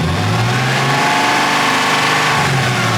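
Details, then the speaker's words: BMW E36 with newly built swapped engine, now warmed up: smooth, even note with a brief rev and settle, no ticking or knocking; earlier loud noise fully went away after warm-up. "That's fucking awesome. It sounds amazing. It just needed to warm up."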